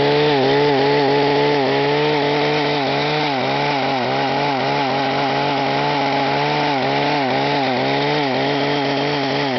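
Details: Echo HC-1500 petrol two-stroke hedge trimmer, carburetor rebuilt so no leaks: at high revs the whine rises and falls about four times a second, engine surging under throttle; owner asks the cause, suggests rev limiter, unconfirmed.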